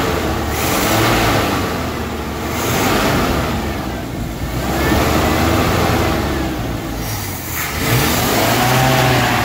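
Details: 1974 Chevy C30 wrecker, V8, revived after five years sitting, smoking a little as oil burns off: deep rumble swells and eases with each throttle blip, pulling cleanly and settling back; revs freely and healthy.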